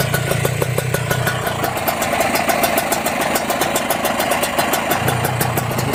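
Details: Second Kawasaki Ninja two-stroke, engine still cold, at idle: crisp, regular popping with no rattle or knocking from the crankshaft, conrod or bearings underneath; normal idle.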